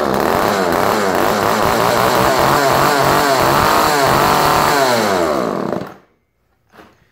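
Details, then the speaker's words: Chainsaw after cleaning, flooded from earlier tries: blats unevenly at high revs, surging and stumbling, dies within six seconds and won't idle; fuel leak suspected up top. "Okay. Not exactly an idler."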